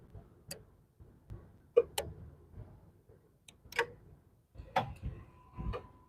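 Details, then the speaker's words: 250,000-mile Subaru during a function test with the AC clutch engaging: sharp isolated clicks at uneven gaps, the relays switching on command, which is normal. "you should be able to hear it all right we got relays clipping over"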